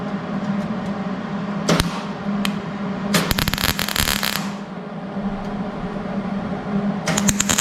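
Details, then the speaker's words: Hobart Handler 140 MIG welder on 16-gauge steel during wire-speed adjustment: irregular popping, spattery crackle in bursts instead of a smooth sizzle. The welder dislikes the sound; wire feed or voltage is likely mismatched. "I don't like the sounds of it"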